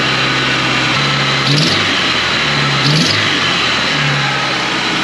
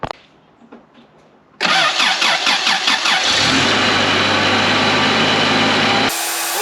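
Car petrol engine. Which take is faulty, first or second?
first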